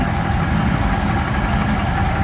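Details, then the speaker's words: 1936 Ford 1½-ton truck, 8BA flathead V8, first run after sitting in a barn for years, no fan fitted, warming up: even low idle rumble with no misses or knocks; firing on all eight. "I think she's firing on all of them we'll let her get good and warmed up oh man this is"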